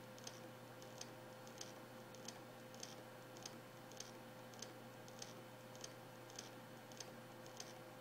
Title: Samsung HD103SJ Spinpoint F3 1TB - DOA clicking noise